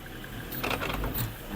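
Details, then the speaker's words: Mercedes-Benz on a test drive before transfer case replacement: uneven knocking clunks over a low rumble, with vibration from the prop shaft; a worn transfer case is the cause. "You hear that clunking sound? That's why this car has been booked in today and that's the symptoms the customer that's the customer complaint."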